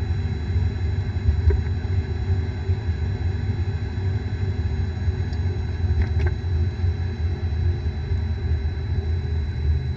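Deep, steady droning rumble while the car is driving, the low growl of a worn bearing.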